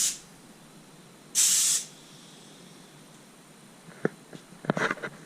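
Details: New air compressor blow gun test, regulator set about 40 psi, mic placed close to compressor: two short sharp hisses of released air with quiet between, then handling clicks; ordinary blow gun discharge, nothing wrong.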